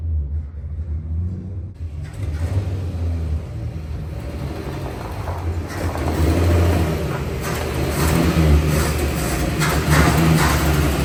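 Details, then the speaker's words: 1962 Dodge Lancer six-cylinder after carburetor overhaul and points work, all six cylinders now firing but stalls sometimes, carb covered in fuel: wavering, surging rumble; runs rough, cause not yet found; revs cleanly. "now I know what it sounds like it sounds like garbage and it's covered in gas trying to be on fire still kind of got to figure that out"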